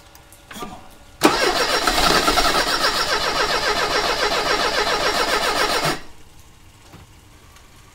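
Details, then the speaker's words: 1985 Mercedes 190E with KE-Jetronic injection and a rebuilt fuel system: steady cranking for five seconds that never catches while gasoline fills up. Fuel pressure is way too high and is flooding it, so no start. "started to fill up with gasoline so something is causing the pressure to be way too high"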